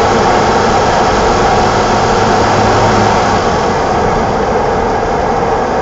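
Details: 1987 BMW E28 520i, M20 2.0-litre inline-six (129 PS), nearly 400,000 km, now running excellently; recorded on a phone with good low-frequency microphone; smooth, even drone with steady rush, no knocks or ticks; normal running.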